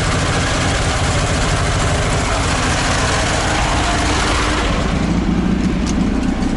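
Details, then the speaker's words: ZAZ 968M after standing, fuel pump repaired and carburetor adjusted: steady, even idle with a dense low rumble and no misses, knocks or hunting. Normal idle. "небольшой такой получился запуск карбюратор настроил сейчас покажу как он работает бензонасос починил"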